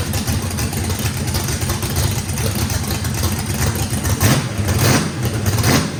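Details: Brand-new race V8 with a radical camshaft at its first fire-up, with big overlap and lobe separation; it needs about 6% throttle blade opening to idle. Deep, uneven, loping rumble with small throttle blips; normal lopey idle from the radical cam, healthy.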